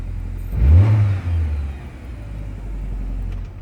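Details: 2002 Nissan Altima after fuel pump replacement, key cycled to prime pump: engine catches with a short rev, then settles into steady low idle with no stumble or misfire; running normally.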